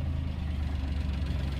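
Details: Maruti Suzuki Omni van after the new battery and charging repair: steady, even low idle with no knocks, misses or whine; engine healthy, battery reading near 13-14 V.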